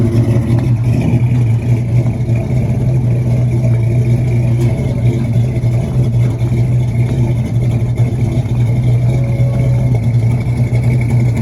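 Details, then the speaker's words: LS-swapped C10 pickup, 6.0 with 243 heads and cam of roughly 575 lift, after retune, driving down the road: strong steady low V8 rumble, even beat, no knocks or ticks; healthy. "Little truck sounds good, runs good, feels good going down the road. Real responsive."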